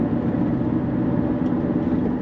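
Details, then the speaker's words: Rusted 2011 Kia Sorento, parking brake hardware already removed: deep steady grumbling grinding roar from the rear while driving, louder with speed; worn rear wheel bearings, hubs to be replaced. "yeah it's got a it's got a huge grumbly grinding sound"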